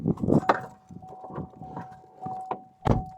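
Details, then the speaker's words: 2014 Vauxhall Astra GTC 1.7 diesel, ignition turned: steady high electric whir with scattered clunks and no cranking, the starter motor spinning without engaging; it doesn't always start, and the starter is being replaced. "where the start was just spinning and sunlight wasn't engaging"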